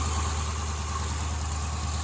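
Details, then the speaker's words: 2015 Dodge Challenger 392 V8, first startup after battery charging, coolant condition unknown: deep, steady burble at idle, no ticks, squeals or belt chirp; started right up and is idling down, belt running smooth. "So it sounds like it, you know, started right up and it's idling down."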